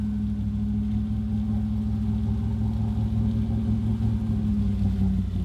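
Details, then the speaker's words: Flooded, wrecked 2014 Super Aéronautique 230 inboard surf boat mid-rebuild, throttle applied with the shaft lubricated. Steady, firm, even drone with no knocks or misses; running healthy. "give us some juice oh she sounds so good"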